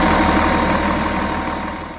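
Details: Volvo Olympian bus, D10A-245 diesel engine: heavy idle with uneven pulsing beat and faint steady tone on top; weird abnormal idle sound, cause not clear.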